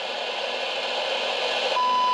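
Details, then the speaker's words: President James CB/10m radio with a receive fault, signal injected at the front-end transistor and compared with the original generator; hiss, then a clean steady whistle clear above the static; front-end transistor suspected of low amplification rather than being completely dead. "So that all is somewhat pointing to a low amplification here of our front-end transistor."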